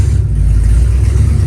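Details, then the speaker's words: Engine started with fuel pump clicking: catches at once and settles into a steady, deep, even idle with a light blip; started right up, normal idle. "Started right up."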